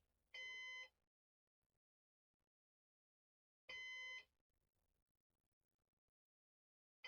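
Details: Used Synology DS418 NAS during setup: half-second high-pitched beeps repeating about every three and a half seconds over silence, like a heart monitor; the fan-failure alarm.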